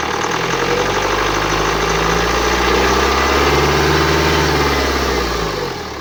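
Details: 2009 BMW X1 xDrive, 2.0 L N47D20D diesel, 177 hp, 224,000 km, idling: harsh, slightly irregular rattle with a faint whistle over the engine, pointing to turbocharger damage.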